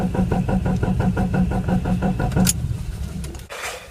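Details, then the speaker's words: 2002 Mitsubishi Eclipse RS 2.4L after coil replacement and spark plug and oil change: starter spins the engine evenly but it never fires; crank no start with no spark, old coil mistakenly reinstalled. "We have no spark still. Okay, I was kind of bummed that it wouldn't start."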